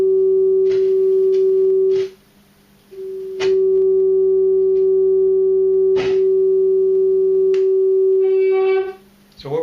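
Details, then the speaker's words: Keyboard amplifier with a test tone fed into the input at low level: the steady tone drops out completely for about a second as the potentiometer is turned, then returns. A dirty, scratchy pot is losing contact. "I can see as I adjust this potentiometer the tone cuts out"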